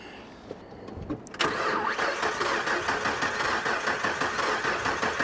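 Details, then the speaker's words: 2002 Nissan Frontier Crew Cab XE auction vehicle, missing belts, no coolant: starter spins engine in even pulses about three per second, never catches; engine not locked, has compression; cranks but does not start. "she cranks the motor's not locked it was the motor's not locked actually sounds like that's compression too yeah it's got compression"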